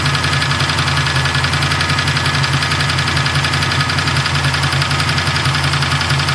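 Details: Freshly assembled Mustang 347 stroker V8 with a lumpy idle and quick light tapping, about two per second, from the top end; owner suspects a lifter, not confirmed.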